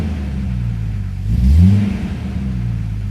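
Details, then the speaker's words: 1997 Jeep Grand Cherokee Laredo 4.0 inline-six, 236,000 miles, after replacing faulty ignition coil pack (spark issue, code P0351): even idle, one quick clean rev, settles back; no shaking or missing, runs smooth, oil pressure good. "No shaking, no missing. Everything's gone. Runs like a top. Runs smooth."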